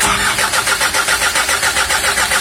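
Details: 2016 Isuzu 4HK1 electronic engine: fast, even starter cranking at roughly seven beats a second that never catches; cranks but won't start, cause suspected, not confirmed.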